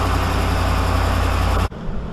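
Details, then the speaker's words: 2013 Dodge Ram 5.7 HEMI after passenger exhaust manifold repair (complaint was ticking worse when cold): smooth deep even idle before shutoff, no ticking or puffing, exhaust sealed; normal idle. "i think we're all right you guys hear anything well anything out of the ordinary i don't i didn't think so either"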